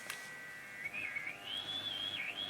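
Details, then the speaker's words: Philips 101-CZ valve radio (circa 1947-48), filter cap can missing, choke dead, only static: a thin high whistle wandering in pitch as a valve is touched, an unstable connection; the fault was finally traced to a dirty valve socket. "don't know if you can hear it I'm just touching the uh the valve"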